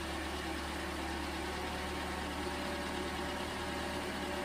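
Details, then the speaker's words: 2011 Toyota Camry 2.5L four-cylinder, first start after an engine swap (the old engine had bad compression), starting first try: quiet steady idle hum with an even beat, no ticks, knocks or stumbles; normal idle. "that sounds good that's always nice when uh starts first try usually there's something wrong"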